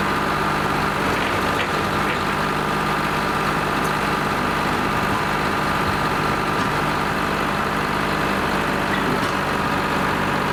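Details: Lima 34 shovel's old two-stroke diesel at its first start-up after repairs, before greasing and digging: it settles into an even, steady idle with a smooth low drone and no knocks or stumbles, running healthy.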